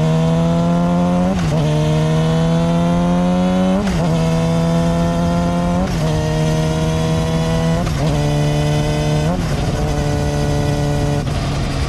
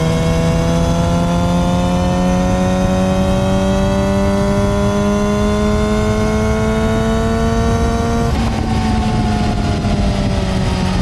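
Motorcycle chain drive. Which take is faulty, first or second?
first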